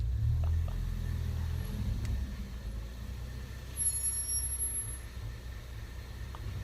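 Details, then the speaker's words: Ford Focus ST with Hawk HP Plus track brake pads: faint, steady high squeal over heavy road rumble while daily driving, even with brakes not applied; constant brake pad squeal. "all the time that's what it sounds like just squeal squeal every here in there and couldn't even open the window in here squealing oh my god so noisy"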